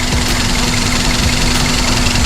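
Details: Daihatsu Sirion with the check engine light on: idle with uneven low thumps about every second, likely a misfiring cylinder; injector wiring and power supply are being checked, ECM or wiring is suspected, and the cause is not confirmed.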